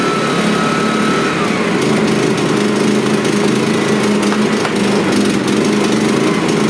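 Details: Suitcase generator after starter cord repair, choke on and primed: small engine catches and settles into a smooth, constant buzz with no stumbling or surging: normal running.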